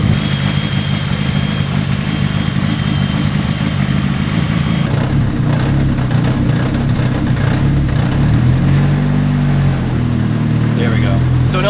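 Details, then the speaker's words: First start of a freshly built engine with a big cam and one muffler: loud, even, slightly lumpy idle with a couple of blips, quiet head, no knocks or ticks; sounds healthy. "big spicy cam but she sounds good she sounds healthy"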